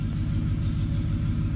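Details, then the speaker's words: 2007 Ford F-150 5.4L 3-valve V8 idling after the loose spark plug causing the cylinder 2 dead misfire (P0302) was fixed; coil still distrusted: deep, steady rumble with even firing pulses, no stumble or skip. "so we know our plug fixed it right we know our plug fix that dead misfire"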